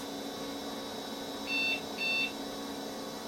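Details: Compaq Proline 4/33 486 PC, unpowered for over 10 years: two short high beeps about half a second apart over steady fan hum at power-up. It shows "system options not set" and the setup has been lost.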